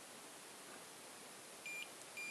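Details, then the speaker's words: Xiaomi 365/Ninebot-type electric scooter controller with the throttle grip simulated as stuck open, as after a fall. Thin high beeps, one long and four short, give error code 14, a throttle fault. Fix is leaving play between the grip rubber and the throttle. "ça vous fait une erreur 14 donc à un très long et quatre petits bips comme ça fait 14"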